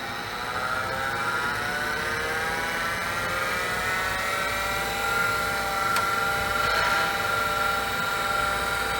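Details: IBM PC AT 5170 with battery-leak board damage, hard disk: steady high whine with stacked tones drifting up and faint ticks; spindle bearing suspected, drive later failed to spin up fully.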